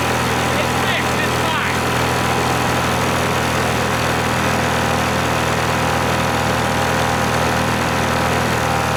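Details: 1986 Scat hovercraft two-stroke after upgrades, run on a 1:100 oil mix: a harsh, rough, ragged drone at constant speed. The engine broke with a melted piston; owners suspect the oil mix but say the engine may have had a prior problem.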